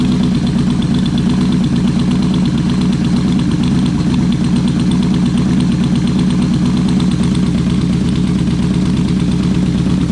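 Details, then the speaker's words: Yamaha Vmax V4 motorcycle now firing on all four cylinders after a fault was fixed: an even, steady idle with a smooth regular pulse, a bit higher than before, since airflow was balanced while it ran on three; normal idle. "all right what do you know now that's running on four cylinders the uh the idle was a bit bit higher"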